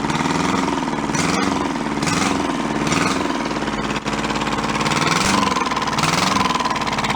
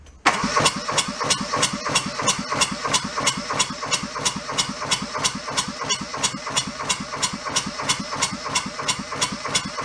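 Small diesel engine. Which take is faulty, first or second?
second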